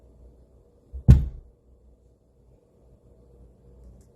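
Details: Amplifier throwing a sharp, deep banging thump through the speakers about a second in, then near silence; recurring amp banging noise.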